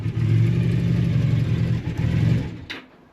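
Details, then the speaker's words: Honda motorcycle woken from storage (one of a V65 Magna, VT500C or CM250T) with a charged battery and drained float bowls, cold on choke: the note sags toward stalling as the throttle opens. Bogs until it warms up. "Oh dear. I don't think we're getting Look, when I try and crank the throttle on."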